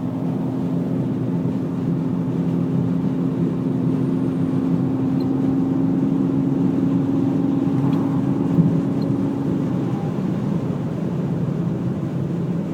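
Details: BMW E46 330 driving: steady low droning whine over road noise for about ten seconds, then fading; origin unknown.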